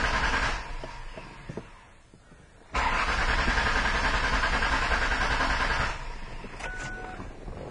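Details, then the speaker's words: Car towed in, reproducing the fault: steady even starter cranking at about three and a half turns per second, engine never fires; crank no-start diagnosed with a test light. "can see we have cranking no starts so one of the first things I wanted to do is a koe o prime see if we've got fuel pump activity"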